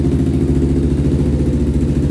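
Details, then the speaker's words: 1999 Honda 400EX carbureted quad, stock pre-turbo baseline, very cold shop at about -16°, warming up on choke: steady, even single-cylinder thump at a fast choke idle with no knocks or misses. Normal idle on choke. "let this thing warm up and then we'll uh start digging into it but this is the baseline for how it sounds and how it runs"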